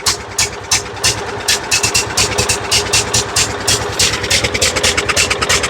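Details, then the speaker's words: John Deere riding mower, Kohler Command engine with new cheap aftermarket carburetor: stumbles and pops unevenly about three beats per second, never settling; running rich, carburetor dumping fuel, float suspected set too high. "Come on, straighten up. Getting way too much fuel."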